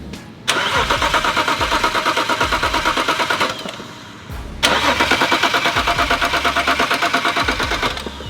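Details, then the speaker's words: BMW 335i N54 fitted with larger F54 Super-TD04 twin turbos: two long bursts of steady starter cranking, about three beats a second, engine never fires. Coil packs unplugged to prime the new turbos with oil before first start. "a little bit of fuel spray it'll be okay as long as we don't have spark it won't fire over won't put any exhaust castes in the turbo so we'll get them primed"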